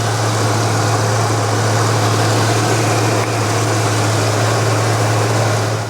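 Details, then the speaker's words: Barn-find 1990 Ford Mustang GT V8, revived after 30 years in storage, on fresh oil and left idling to warm up. Steady, even low hum, smooth, with no misses, knocks or hunting. Normal idle. "It's absolutely uh smooth like a Rolls-Royce, isn't it? >> It's very smooth, isn't it? To be fair."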